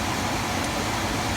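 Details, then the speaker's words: Attic HVAC forced-air unit blower, reinstalled and rewired after a terrible rattle heard through the return vents, test run with AC: even, smooth rush of air, totally quiet, essentially no vibration; normal blower operation. "Totally quiet, essentially no vibration."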